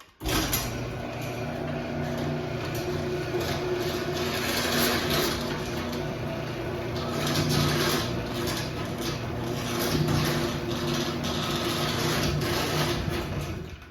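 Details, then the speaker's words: AccessMaster M885 chain-drive garage door opener on T-rail, running with door attached: even motor hum with loose irregular rattle from the trolley as door travels up; otherwise quiet, slight case vibration remaining. "So yeah, the trolley does rattle a bit, but otherwise it is pretty quiet."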